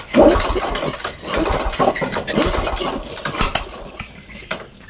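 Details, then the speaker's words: Supra X 125 motorcycle, hard to start and stalls when cold despite new spark plugs: short, uneven cranking bursts that turn over too freely and never catch; low compression. "si on le desserre comme ça, la compression est un peu grosse, mais si on la resserre comme"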